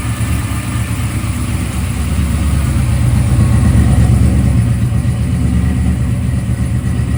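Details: Freshly assembled 1995 LT1-based ERE-383 stroker V8 (Eagle forged crank, 5.85" rods, neutral-balanced rotating assembly, Holley Terminator X) on an engine run stand. Deep, steady burble with a slight lope and an even idle, no misses or knocks. A water pump leak from a missing gasket was found afterward.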